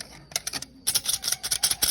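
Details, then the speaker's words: Kia K165 truck started with the clutch pedal released: light, fast metallic rattling in uneven bursts at idle, gone when the clutch is pressed. Clutch disc damper springs broken; fix is a new clutch disc. "Đấy tiếng kêu phát ra từ cái lá côn này nhá Khi mà anh em nổ máy lên mà không đập chân côn có tiếng kêu rất là rõ đấy Đây là cái óc lá côn này nó đã bị hỏng lò xo nó rung lên t kính kêu khi đạp côn vào thì nó lại hết kêu nhá"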